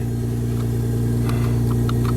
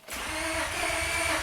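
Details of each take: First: 1999 Honda Accord V6, almost 280,000 miles, after fixing a crank-no-start with no parts: steady, even idle with a smooth low hum while warming up, no stumble or misfire, running on all cylinders; normal idle. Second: 1999 Honda Accord V6 with about 280,000 miles and the immobilizer light not coming on. The starter whirrs fast and evenly but the engine never fires; crank-no-start traced to a failed PGM-FI main relay.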